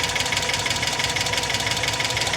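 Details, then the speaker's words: $750 Hyundai Accent, just driven, hood popped, oil unchecked: warm idle with a light, fast, even tick over the engine hum, steady at idle; top-end ticking of unknown cause. "Ooh, I hear a little ticking. You guys hear that? Why are you ticking?"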